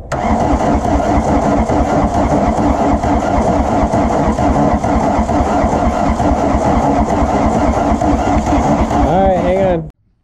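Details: VW Rabbit diesel that sat about 15–17 years, fuel lines just primed with diesel: long steady churning crank at around two beats a second, half-catching but never taking off, then cutting out. Hard starting; cause suspected, not confirmed.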